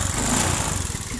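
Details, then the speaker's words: Fuel-injected Honda Beat that is hard to start: the small single idles with an uneven, wavering beat that sags and falters; a weak ECU ground on the fuel pump's brown/black-stripe wire, fixed by jumping it to battery negative instead of replacing the ECU. "nah nah ini berbuat ya berarti lemah di bagian jalur masa ecm atau ecunya nah"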